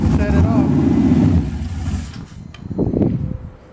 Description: This is the first start after I completely rebuilt the engine.